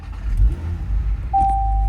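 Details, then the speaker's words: 2020 Range Rover HSE Sport 3.0 turbocharged six, one owner, just over 48,000 miles: short starter whirr, catches promptly and settles into a smooth deep idle with no stumble; started like a dream, no dash warning lights. "Started up like a dream. No lights on the dash."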